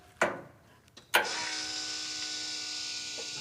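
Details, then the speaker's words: Truck with freshly re-plumbed fuel lines and reinstalled EFI, electric fuel pump switched on for first time: a click, then steady high-pitched even electric whirr; pump priming normally, fuel delivered, no leaks. "Pump is pumping. Got fuel. Got no leaks back here"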